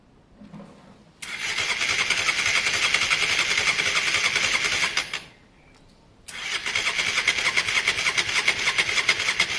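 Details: Honda Varadero 125 on stand with a bit of choke, cranked during spark-issue diagnosis: two bursts of rhythmic starter cranking over a whining motor, never runs; not using fuel, battery dying; carb clean still pending.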